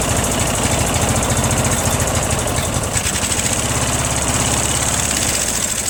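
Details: Briggs & Stratton opposed twin with 3-screw and 4-screw Nikki carburetors, started after the fuel filter was swapped back to a smaller one, runs at a fast, lumpy, blubbery idle; the carbs have been flooding fuel and running too rich, and the owner suspects float levels or worn gaskets.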